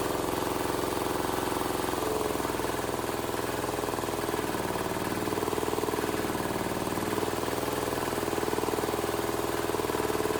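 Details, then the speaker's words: Cheap Chinese small diesel swapped into a Wheel Horse 314H tractor, first run after priming and no-start diagnosis: steady, even clatter at a fast idle with no misses or knocks; running well. "I I hell yeah man has this thing been a struggle I'm so glad to hear that thing run"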